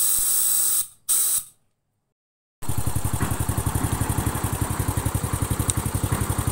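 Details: Honda Astrea Grand after repair of leaking compression, which caused rough engine noise when hot and weak power: after a brief hiss, settles into an even idle about four beats a second, steady with no rough knocking.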